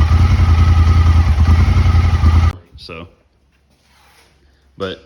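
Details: Honda Talon UTV before the fix: loud lumpy pulsing idle that suddenly cuts out, stalling when put in gear or given throttle; a cylinder misfiring from a fouled spark plug.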